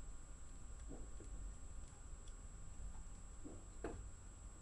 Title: SAT/05/NOV/2016 18:40" LOUD FRIDGE 5 WALL PIPING KNOCKINGS